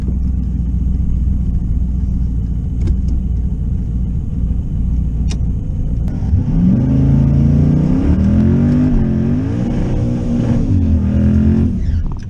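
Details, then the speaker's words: Twin-turbo third-gen Camaro on a drag strip pass, targeting 15 psi, at full throttle: the engine note rises and falls in waves as the closed-loop boost control oscillates badly. "I don't know if you can hear that on camera but the Boost is oscillating so bad it's just you I could hear it"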